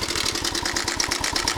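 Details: 1998 Suzuki Savage 650 single, 10,000 miles, at idle: a quick even metallic rattle, about twelve clicks a second, from a slack cam chain; the tensioner was found completely out of its body.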